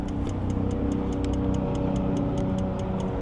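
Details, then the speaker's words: 2006 RAM 3500 diesel, customer truck that cranks but wouldn't fire, cranked on starting fluid; quick, even ticking about five per second over steady idle, still clicking — fuel injection pump quantity valve ticking. "Still clicking. Still clicking. What in the heck is that?"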